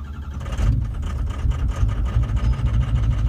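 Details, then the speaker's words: 2004 diesel truck with a hot no-start complaint, during a cold-start diagnosis with power supply suspected bad. Deep, uneven idle lumps and stumbles; power balance shows cylinders two, four and five dead, with number two intermittently returning. "four or five maybe number two's dead - four and five are all dead as of right now"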